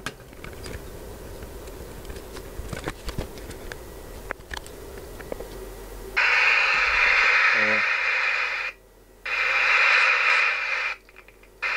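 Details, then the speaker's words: Alan 38 CB radio during service, speaker connected after cleaning; scattered sharp crackles, pops and scratchy hiss, the volume potentiometer still dry and crackling. "potencjometr głośności jeszcze trochę trzeszczy więc możemy śo jeszcze jest bardziej suchy więc lecimy dalej"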